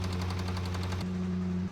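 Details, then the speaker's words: Range Rover SVR engine: sharp metallic knocking, about ten a second, over a low engine drone; rod knock from worn connecting rod bearings on the crankshaft. "That engine should definitely not sound like that."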